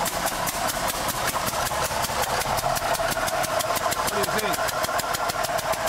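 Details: Holden VR Commodore 3.8 L V6, rebuilt by a dealer some years ago, head gaskets supposedly replaced two years ago: sharp, even ticking puffs about five per second at idle; owner suspects a blown head gasket, also considered exhaust manifold or loose spark plug.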